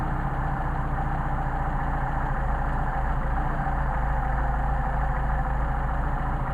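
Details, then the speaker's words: Mercedes 190SL Solex carburettors on test, adjusting one carb's idle mixture screw to the extreme: low idle stumbles and loses rhythm, beats uneven about twice a second as rpm drops off; rough idle from incorrect mixture setting. "this is very sensitive doesn't take much turning and again these are running independently of each other so we can we know you hear the RPM dropping off coming back out starting to drop off again after go to the extreme"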